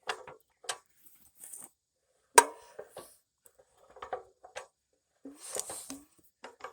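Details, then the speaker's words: Nearly 100-year-old Standard Monarch tractor engine, freed from seizure, hand-cranked slowly through full rotation: sharp irregular metallic clicks from the magneto impulse coupling, which is normal. "I am very happy now it turns all the way over and you guys hear that clicking that's the impulse in our mag"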